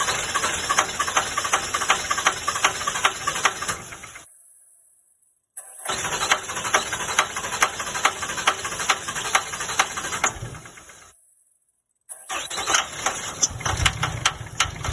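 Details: 2007 Ram 3500 5.9L Cummins 24v diesel with new injectors and injection pump, repeated cranking bursts with steady starter chug, never catches; scan tool showed only 1200 psi rail pressure while cranking versus 5000 psi needed, traced to a bad lift pump.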